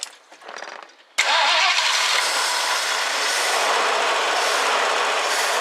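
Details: 1969 Ford Econoline van, last run date unknown, being revived: after reassembly, the throttle return spring refitted and fuel primed, brief cranking, then it catches and settles into a steady, even run without misses; it starts and idles normally.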